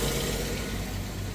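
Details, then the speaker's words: 1989 Jeep YJ with Weber carburetor and electric choke, which has been running rich, smoking and fouling plugs; just started after the choke wire repair, choke opening. Rough petrol idle with a faint rapid ticking over the low rumble, described as valves clashing together: valve clatter. "Sounds like she's running pretty good actually, minus the valves clashing together."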